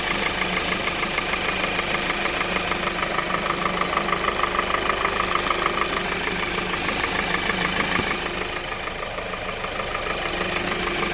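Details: 2020 Kia Soul 2.0L, 20k miles, serviced every 5k; sharp regular light knocking at idle with a tinny edge, attributed to piston slap from faulty piston rings, which eventually caused complete engine failure and warranty engine replacement.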